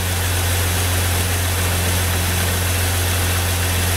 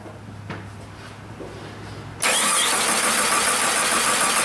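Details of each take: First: 2001 Jeep Grand Cherokee 4.0 inline six after replacing the crank sensor for a crank-no-start with code P0320: smooth, even low rumble at a constant idle with no misses or stumbles; idling normally. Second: 2001 Jeep Grand Cherokee 4.0 I6, towed in with crank/no-start and code P0320, ignition coil already replaced: three seconds of steady starter cranking, about three beats a second, never catching. Failed crankshaft position sensor, which was replaced.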